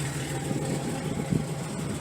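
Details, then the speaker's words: Datsun 280ZX, first startup with the muffler removed so the exhaust runs open: a loud, raw, unmuffled low idle rumble with an uneven burble. Owner finds it not that bad but expects it to drone inside and plans to fit a muffler. "It's really not that bad. But I'm going to put the actual muffler on there just because I know this is going to drone real crazy on the inside because it's underneath."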